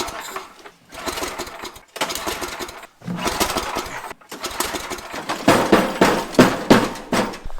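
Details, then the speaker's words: Tecumseh engine on an MTD/Troy-Bilt snowblower, carburetor bowl just cleaned, primed, gas in carburetor, no air filter fitted: several short cranking bursts with pauses; the engine turns over but never catches. Cranking but no start. "now I can't get it started there is gas in the carburetor so I'm not familiar with this engine"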